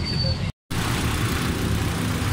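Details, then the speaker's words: Suzuki Cultus EFI after valve tappets that had been opened too far were adjusted, spark plugs to be changed to genuine ones: even, low idle with no tappet ticking, much quieter than the earlier loud noise. "तो माशाल्लाह गाड़ी start है। माशाल्लाह गाड़ी start है। ज़बरदस्त sound है।"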